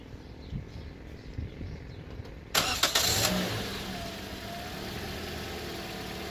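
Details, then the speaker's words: 2014 Toyota Corolla LE 4-cylinder with new battery replacing a 3-year-old one that caused hard starts: quick crank catches at once into a smooth, even idle, restarted to check alternator voltage. Normal start, no hesitation. "So there you have it, guys. The car is nice and openly able to start without any problems, no hesitation."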